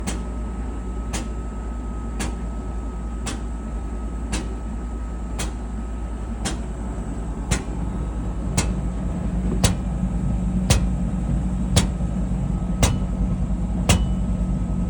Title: Whirlpool dryer knocking sound when running… drum? roller? pulley?